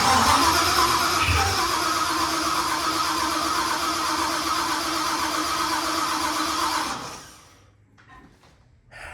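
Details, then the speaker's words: 1974 Mercury Comet with procharged 5.0L Coyote swap, new starter just fitted: starter churns steadily about seven seconds, engine never fires; dash reads about 10 volts while cranking, owner suspects weak battery but doubts it. Cranks but won't start. "While it's turning over, before it starts turning over, obviously we're in the 12-volt range. So I don't know if maybe that battery is just not strong enough to turn it over."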